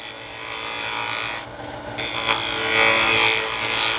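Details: Wood lathe, inside-out turning, a deliberately bad cut shown for comparison with a good one: a harsh, uneven scraping rasp with a stumble mid-cut instead of a smooth hiss. The tool is cutting rough and tearing the wood.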